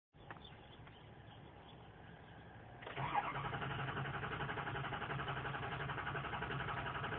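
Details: 2003 Ford 6.0 Power Stroke diesel, ScanGauge II monitoring FICM volts and ICP psi: starter spins the engine at about four compression beats a second, speeding slightly, but it never catches; crank, no start.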